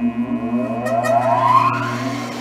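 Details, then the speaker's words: 1964 Singer 281-1 vintage industrial sewing machine clutch motor switched on: steady hum rising smoothly as the motor spins up, then an even run. It sounds normal and likely takes about a minute to warm up. "I'm going to start her up so you guys can hear how she sounds when she's ready to roar."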